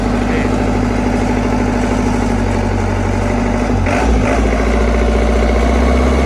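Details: A steady, deep, even idle with a smooth regular beat and no misses or knocks on a CAT 307SSR mini excavator's Mitsubishi diesel after injection pump installation fixed a no-start; running healthy.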